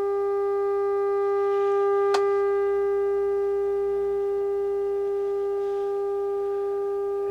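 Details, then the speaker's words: Harman Kardon 75+ amplifier during overhaul, new 1k ten-turn bias trim pots: steady test tone comes through rough and buzzy with extra overtones, distortion present from power-on and growing louder as it warms; owner suspects a resistor gone thermal. "when i turn it on it uh starts with the distortion i'll show you here turn this up and as it warms up it gets louder"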